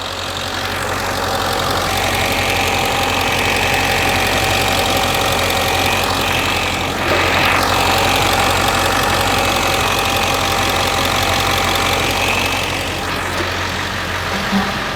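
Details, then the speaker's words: 1999 Ford F350 diesel after hydroboost leak repair and fluid refill: idle clatter with a thin steady whine that swells as the wheel is turned; power steering pump whine from air still in the fluid, takes a day or two to bleed out. "so if you're doing this job at home and you hear whining like that on your Pump It Takes a day or two to get air out of this system"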